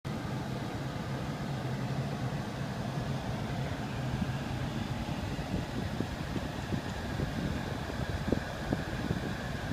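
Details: 2001 Lexus RX 300 AC: rough gritty rush from the ventilation, then sharp irregular clicks; grinding, rattling, clicking from the HVAC blower, with front vents not blowing in auto mode unless the air is toggled off and on.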